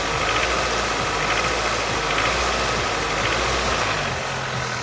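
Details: Nissan QG18DE engine revving: loose, uneven knock at roughly three to four per second over the engine noise; cause not yet pinned down.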